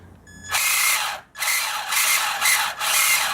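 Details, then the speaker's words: Traxxas Slash/Bandit RC car, Titan 12-turn 550 brushed motor, long used without cleaning: short bursts of high raspy squeal with a thin whistle; most likely dust buildup, to be cleared with compressed air and motor cleaner, possibly internal. "It's a pretty ominous sound. And it could be something internal, but more than likely you probably are going to just have to clean your motor."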